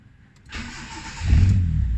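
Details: Wira 1.5 MMC that would not start although fuses and relays checked OK, with an ECU fault suspected. After a negative/ground connection is added, it cranks briefly, catches cleanly and climbs into a firm idle, starting and running normally.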